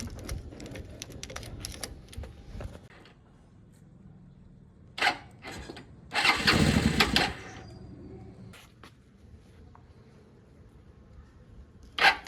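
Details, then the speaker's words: Old Bajaj Pulsar on a very cold day, battery newly connected, fuel on reserve, choke pulled, starter now engaging after the magnet fix: cranks, catches a second or two, then dies; suspected contaminated petrol, off-colour with something mixed in. "लग रहा है कि जो इसका petrol है ना वह साफ नहीं है इसमें कुछ तो मिक्स है इसलिए मैंने यह खोला है"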